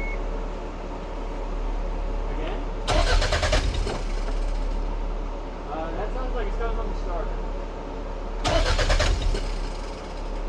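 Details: Toyota MR2 with JDM non-VTEC engine, sitting unused (gas possibly bad): two one-second bursts of steady starter cranking with no catch; engine cranks but won't start.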